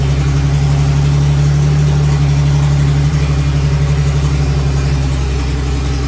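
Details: 1954 Fargo half-ton flathead six idling on first startup after piston ring install and valve adjustment: deep, steady low rumble with an even beat, no knocks or ticks, smooth and healthy. Owner suspects carb float height or a leaking float causing overflow.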